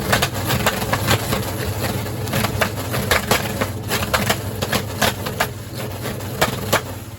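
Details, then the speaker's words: 1970 Charger big-block Mopar with MSD 6AL box and factory electronic distributor, idle circuits richened and highest pump shot, hitting the rev limiter: sharp irregular pops and cracks, several a second, shooting flames from the exhaust. "It just shoots flames out of the pipes, which is pretty cool, but doesn't really serve that much of a purpose, but breaks stuff, I'm assuming."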